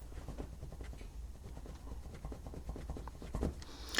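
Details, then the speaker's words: BMW G20 M340i C-pillar trim: light irregular plastic ticks and taps as the panel is jiggled. A loose plastic bracket attached to the metal frame is rattling, the same noise heard over bumps. "This is pretty similar to the noise I was hearing, so just listen to this when I jiggle it."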